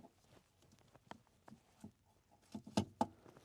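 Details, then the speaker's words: 2015 Ford Explorer, old broken HVAC mode door actuator behind the dash, air not going to the floor: quiet, uneven clicks and taps as the actuator slips while working; clicking mode door actuator, about to be replaced. "And I can actually hear it working. That's still the broken one, it's making noise, but it's right here."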